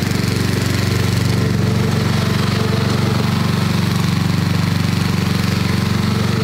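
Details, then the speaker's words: 1990s Snapper riding mower, Briggs & Stratton engine, sat for years, previously rebuilt carburetor, overdue oil change; steady even thumping idle about three beats a second, no knocks or misses; normal idle. "that's the idle that's not bad"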